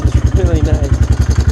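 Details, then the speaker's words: Old Honda TRX 300 ATV just after fitting a new replacement carburetor, which started on about the sixth kick; it now idles much slower instead of high, a deep, steady, healthy idle. Engine still shows some crankcase blow-by; owner suspects a scored piston. "started right up like a sixth kick maybe and it sounds way better because previously i idled really high all the time"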